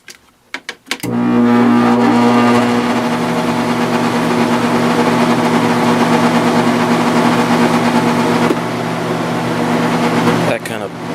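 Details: Sharp 10,500 BTU window air conditioner, fan motor and bearings replaced, compressor startup: steady low hum with gritty buzz once compressor kicks in; runs, decent airflow, gets cold, buzzes, cause unclear.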